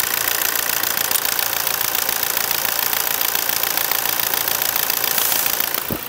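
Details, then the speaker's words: 2017 Toyota Hilux 2.8 diesel with a replacement engine after the original seized under 180,000 km, during testing after a first short drive: loud, even clatter at steady high revs, crisp, no knock or miss; healthy. "fala a verdade ele essa melodia da Hilux 2.8 ficou animalesca show de bola né o motor está montadinho sequinho certo"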